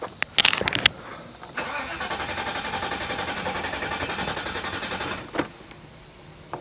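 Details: 1985 Mercedes 500SEC, hot day, fuel and battery just hooked up: starter cranks steadily about three and a half seconds without catching; fuel pump, relay and injectors suspected; cause unconfirmed.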